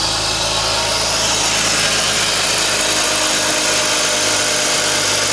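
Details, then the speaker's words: BMW E46 idling right after an oil change, started on a booster pack; smooth, even idle with steady hum, no knocks, misses or rattles; engine healthy. "It's running pretty good though. Sounds good. Looks good."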